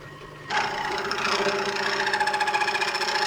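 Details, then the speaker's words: Lathe turning an aluminium gear knob for a Kawasaki GT550 bobber; harsh rattling buzz with wavering high ring pulsing several times a second; tool chatter, tool height suspected, cut uneven. "Yeah, it's pretty uneven and chattery."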